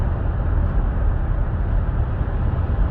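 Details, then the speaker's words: 2017 Buick Enclave, 130,000 km, after rear wheel bearing replacement for a rear humming at cruise; road test now quiet with only low steady road rumble and no hum rising with speed, bearing normal. "well it seems nice and quiet now no more hum"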